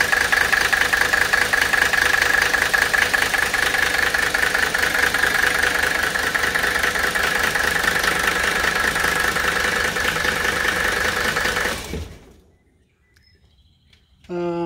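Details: Mercedes OM617 300TD with HX30 turbo and Benzforce 7.5 pump, drip-timed to 26° BTDC to cure a 24° idle miss and grey smoke: an even diesel clatter at about 2.5 beats a second with no skips, then shutdown; a smooth, healthy idle.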